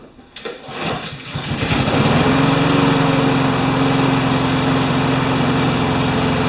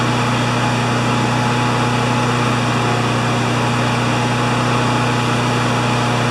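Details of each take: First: Honda GCV160 mower engine, cleaned and needing a tune-up, with a deteriorated air filter; fires on a pull and settles into an even drone slightly low in pitch. Running a little slow, so the governor arm is to be adjusted. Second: Honda GCV160 mower engine after governor arm bending: flat, even high-pitched drone without hunting or surging, measured about 3589–3612 rpm at governed top speed.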